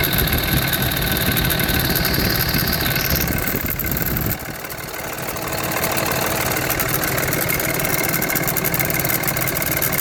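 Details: 2005 Cummins 5.9 diesel, professionally rebuilt 4k miles ago, cold idle: light uneven rattle over the clatter about three beats a second, starting ~10 s after start-up, fading above 140°; new belt, tensioner, alternator, idler pulley didn't cure it.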